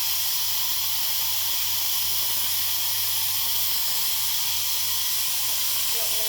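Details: Clemco contractor 6.0 blast pot with electric controls, air applied at the deadman: a steady, hard hiss of compressed air escaping at the valve weep holes. It is leaking past the valve seals, and the seal kit needs changing.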